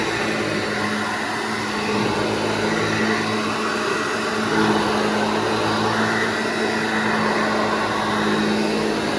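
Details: Restored vintage Hoover Junior 1334 upright vacuum, demonstrated after full restoration and reassembly: steady, even motor hum with constant pitch, no scraping or knocking; running smoothly and healthy.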